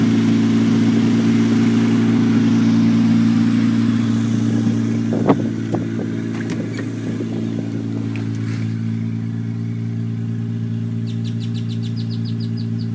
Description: Cleaned up some wiring and vac lines, idles great now.